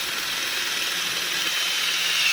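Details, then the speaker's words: Freshly built 351 Cleveland engine, oil pump primed by drill turning the distributor drive counterclockwise: steady drill whine with hiss that slows slightly as pump builds oil pressure, oil expected at pushrod tops; normal oil pump priming. "What we're looking for is oil oozing out from the top of the push rods and then collecting down here. And you'll feel it slow down when it gets oil"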